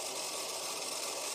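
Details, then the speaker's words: 30-year-old Hornby Class 37 model locomotive with three-pole ring field motor, motor bogie on a rolling road after wheel cleaning: thin steady high-pitched whir with hiss, running better than before but still rough and noisy; oiling of moving parts planned next. "you can see now it's running a lot better than it was before just simply by giving the wheels a good clean but it's still a bit noisy so i think we'll give it a little bit of an oil and see how it runs after that"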